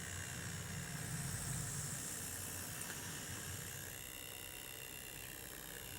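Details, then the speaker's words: Dave Jones Models Class J94 tank engine model loco with coreless motor, run on a non-feedback Hornby controller while reversing: a thin high-pitched whirr with steady hiss; the motor sounds unusually noisy, cause unclear. "Let me reverse it up then. God, that noise."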